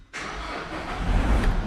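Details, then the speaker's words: 2019 Vauxhall Vivaro 1.6 diesel after intermittent no-start repair: catches within a fraction of a second and settles into steady, even idle, no warning lights or fault codes; normal start. "Engine starts. No warning lights on. No fault codes present."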